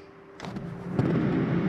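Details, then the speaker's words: 2011 Keystone Outback 301BQ travel trailer, AC switched on at the thermostat: low hum and steady airy rush build evenly with no rattles or scraping; rooftop AC blower running normally. "continue down the hall with your thermostat turn that ac on"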